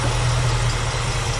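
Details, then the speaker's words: 1965 Ford Mustang V8 with Edelbrock carburettor after cleaning the blocked idle passages with wire: smooth, even low idle rumble with steady beat and no misses; normal idle after repair. "suddenly it's a whole lot nicer to drive um and I dare say it's going to start a lot bit as well well that's a big Improvement for a little bit of work"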